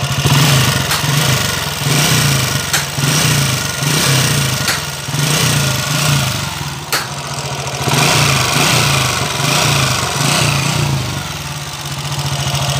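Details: TMX 155 motorcycle engine, hard to kick-start: rough, uneven idle with loud mechanical knocking and clatter through the rhythm, pointing to a crushed pilot bearing and worn internals.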